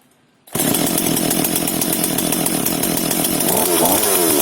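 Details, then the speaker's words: FK136 Italian petrol chainsaw in very good condition, one of three identical saws, shown as a proper start: catches at once and settles into a steady high buzzing run that picks up slightly near the end; a clean, healthy start. "Теперь я вам покажу, как должна запускаться настоящая итальянская пила."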